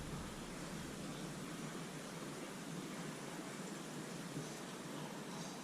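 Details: Steady, even water hiss with no rhythm through the ST-2000 leak detector's ground pickup; pressurised water escaping from a slab leak under the floor.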